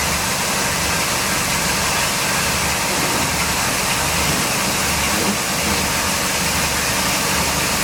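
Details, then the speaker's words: 2005 Sea Ray 340 Sundancer, twin Mercruiser 8.1 L V-drive inboards, completely cold start: loud, steady engine roar at idle with even tone, no knocking or ticking or extra noises; smooth, normal cold idle. "I don't know how well you can hear it through the video but both of them run extremely smooth I don't hear any extra noises nothing and they were both completely cold when we started them up"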